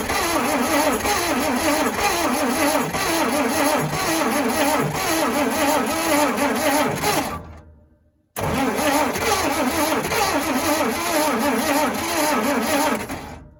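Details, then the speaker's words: 1956 Dodge C3-H6 1.5-ton truck, not run in 20+ years, first start attempt on mixed gas: even rapid starter chug, pause, more cranking without catching after one brief pop; spark confirmed, plugs pulled wet and fouled. "Well, she popped off for a split second there. Then I gave it some more gas and then it acted like it wasn't hitting at all. So I checked to see if I still had spark, and it does. So I pulled a couple plugs and sure enough, they're wet and fouled up."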